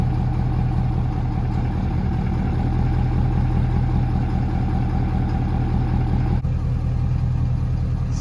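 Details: 2013 Ford Power Stroke diesel, high-idle aux-switch mod fitted, command-started with no key: steady low base idle, even beat, no rise in revs, because aux switches aren't live without the key, so high idle didn't engage.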